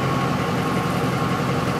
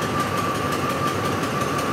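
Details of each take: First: 2004 Ford F-150 5.4L V8 that stalls when hot and won't restart until cool (fuel pump and rail pressure sensor already replaced, codes P0191, P1233): steady even idle, smooth low rumble, during bypass test with pump grounded at full speed, 75 psi rail pressure. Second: 2004 Ford F-150 5.4L that stalls when hot, fuel pump and rail pressure sensor already replaced, rail pressure 109: weak, uneven idle, about to die, running lean; fuel pump driver module not grounding the pump suspected; rough idle from fuel starvation.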